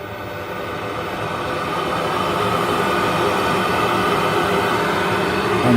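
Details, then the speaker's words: Worcester 38 CDI boiler during a service, chimney sweep mode, fan turned up from minimum to maximum for flue gas analysis: airy rush builds then holds loud and even; normal fan at full rate. "we'll turn our analyzer on and i'm going to turn it back up to maximum going to get noisy"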